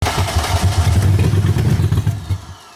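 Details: 1995 BMW E34 530i, first start in 10 years: engine catches and runs with a steady low rumble for a couple of seconds before shutting off, no knocks or ticks; runs fine.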